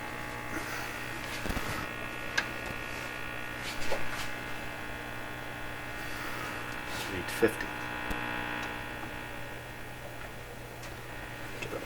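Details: Canadian Westinghouse 683A three-band tube radio, signal generator connected, some motorboating; loud steady low mains hum with occasional crackles over weak sound; cause not confirmed; tubes appear to function, set working very poorly.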